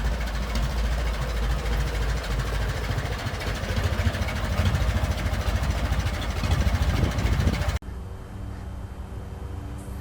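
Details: Restored 1921 American LaFrance fire engine pulling along the street: an old four-cylinder with a steady, even low thump of roughly three beats a second, no knocks or misses; fine restoration, healthy normal running.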